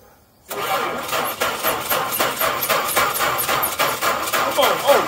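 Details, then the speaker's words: 1985 Dodge D150 pickup restoration project: the starter cranks the engine at a steady, fairly brisk rhythm for a few seconds without firing; diagnosed as a bad starter. "oh yeah that's the starter keep going try it i can hear it keep trying"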